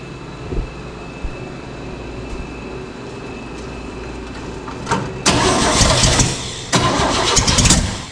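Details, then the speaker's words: 1970 International Harvester 1100D pickup V8, rebuilt and bored engine that sat for years, first start after a part swap: a few cranks, then barks loud and raw with fast chuffing; exhaust leak suspected, source unknown. "She popped on. She sounds like a crazy exhaust leak. Where's that coming from?"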